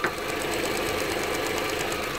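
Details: Volkswagen Golf TSI petrol idling after coolant heater hose quick-coupling work: quick, light, even ticking over a smooth idle, which speeds up at times; EVAP purge solenoid cycling, normal.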